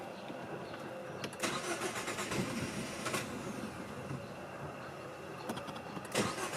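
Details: 2018 Jeep Compass with repeated starting problems: starter churns in bursts with sharp catches but the engine never fires and runs; crank-no-start.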